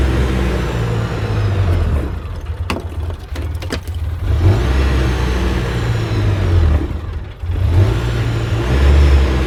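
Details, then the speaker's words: 2006 Polaris Ranger after a rebuild: revs stay high and surge instead of dropping to idle; the throttle is hanging, with the cable possibly caught when the seat was refitted and the owner also suspecting the injectors. "yeah it would appear that I caught the cable what the hell [Music] we may need to do something with them [Music] injectors seem like the throttle's hanging"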